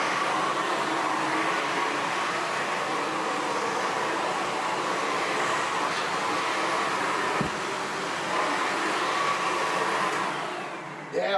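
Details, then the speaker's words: Sebo Felix Classic vacuum cleaner from 2005, running on hard floor with a front head part (brushes?) missing: even hollow rush of air over a steady motor hum, air roaring out the front. "can hear the air roaring out the front of that without that front whatever it was on there brushes or black"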